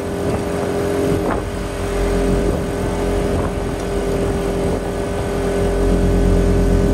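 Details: Quieted diesel generator in a bus RV conversion, running on external fuel under load: even drone holding its speed as load comes on, barely loads up unlike the variable-RPM inverter generator; normal running.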